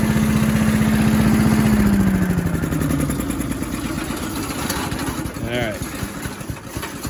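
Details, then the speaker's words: Little Wonder 13HP High Output blower, after clearing something suspected jammed between impeller and housing that caused an awful dinging. Choke at half throttle, new spark plug fitted (old one fuel-fouled), carb still needs work. Fires evenly and settles to a steady idle with no noise. Fixed. "try it again try it one more time well it's not making the noise all right it's not making the noise so it's fixed"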